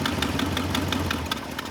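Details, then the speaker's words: 1974 International Harvester 500 farm truck running on propane after 17 years abandoned: uneven V8 idle with faltering, irregular firing that sags as it fuel-starves once the propane regulator vacuum line is closed; engine stumbles, doesn't like it. "definitely doesn't like me closing it down"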